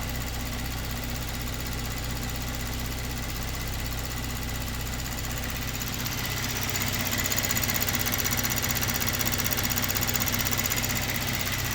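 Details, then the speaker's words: Kia Stinger with a low fuel pressure problem, idling after the pump control solenoid is refitted. Even ticking at about two per second over a steady idle shows the high-pressure pump is working again after being in full shut-off. "now we've actually got some ra rail pressure and obviously we can hear that pump doing something now so that was in full shut off mode before"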